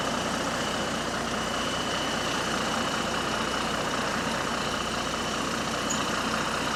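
Steady diesel drone with a hissy, puffing edge pulsing quickly and evenly over the engine, the sound of exhaust escaping from a leak.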